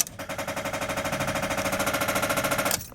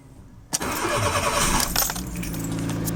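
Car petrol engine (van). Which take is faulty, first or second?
first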